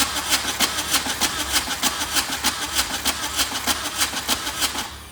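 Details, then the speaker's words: VW diesel-swapped Suzuki Samurai, injectors loosened, ether used: starter churns evenly, about a hundred strokes a minute, with no firing before stopping; cranks but won't start, owner suspects the injector pump is not injecting. "So I think the injector pump is not injecting."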